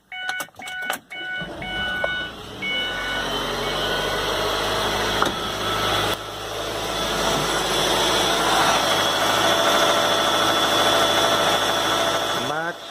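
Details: 2007 Ford Escape Hybrid, driven without oil, after replacing a damaged connecting rod bearing and cleaning out metal pieces; chimes, then engine catches into steady even idle, no knock or rattle. Normal idle.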